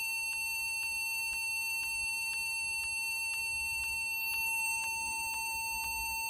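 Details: Acer computer at power-on: steady run of short high beeps, about two per second, repeating continuously without pause; cause unknown.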